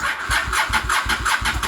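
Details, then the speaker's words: Honda Shadow VLX 600 motorcycle, battery 12.55 V at rest, 11.83 V key on, dropping to 8–9 V when cranking: sluggish, labored cranking about four pulses a second, never catches; slow cranking from weak battery. "see that it dropped all the way to eight and nine so what's that mean do that mean is the the engine battery itself is low or it's about to go out"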